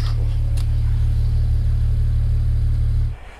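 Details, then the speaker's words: BMW E92 335i, N54 engine with 17T hybrid turbos, recorded the day before a misfire appeared. Deep, smooth, even idle with a steady low rumble and no misses or knocks, then shut-off; healthy normal idle. "in fact i've got a clip of it idling yesterday so you can hear it right now"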